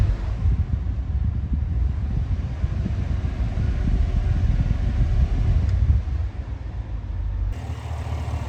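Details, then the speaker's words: 2018 Cadillac Escalade V8 after DOD delete cam/LS7 lifters fixing bent pushrod and collapsed DOD lifter tick, shorty headers and Magnaflow muffler: deep even idle, no ticking, only belt noise; possible slight left collector exhaust leak. "She's now nice and quiet. All you hear is belt noises."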